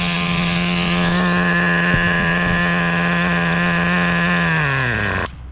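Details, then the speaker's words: Traxxas Slayer Pro nitro RC engine after tuning, dialed in to shut off at 3 seconds, half a tank of fuel: clean steady high-pitched drone without stumbling, winding down smoothly at shutoff. Judged well tuned and reliable. "I think I'm going to leave it right there I'm happy with that seems pretty reliable"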